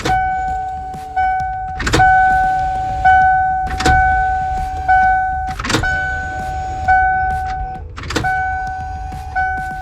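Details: 1996 Ford E-350 van after new fuel pump assembly and cleaned tank, door open, fuel lines being purged via pressure gauge: repeated key cycles, each a click then a steady one-second electric hum; new pump primes normally.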